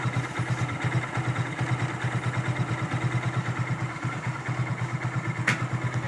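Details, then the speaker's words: Hero Glamour single after bearing repair: even, steady idle thump with no knocking or rattles; the earlier engine noise is gone. Normal idle after repair. "पहले sound ए रहा था वह sound अभी band हो चुका है देखिए"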